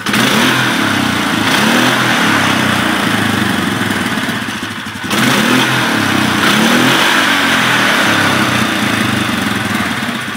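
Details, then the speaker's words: 2011 Polaris Sportsman 500 single-cylinder ATV, airbox top refitted after running with the filter exposed; two clean blips with even, muffled intake roar; normal intake sound. "now completely different sound with the airbox top on"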